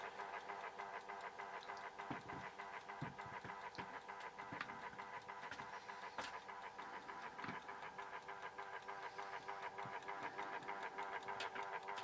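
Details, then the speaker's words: Horstmann VA Mk9 SRS2 time switch, 240 V 50 Hz synchronous motor self-winding its spring reserve: soft whir with light even ticking about three per second; escapement runs normally until a reed catches it into standby. "Okay, if you leave it long enough, it'll self-wind. Okay, eventually what will happen is that escapement in there, it will get so fast that it'll hit a little reed in there, and then the reeds will catch it and stop it from ticking, and then it goes into like its standby sort of mode."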